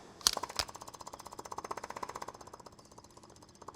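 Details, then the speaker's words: 1979 Ford F250 4x4 parked since 1994, external electric fuel pump hooked to the fuel line trying to draw from the tank: fast, sharp, slightly uneven clicking that fades; may not pick up fuel, possibly solenoid or a collapsed line. "It sounds like it's going to it's going to the little clicketity clack that could Come on, little buddy. You got it. Pull some fuel out of there."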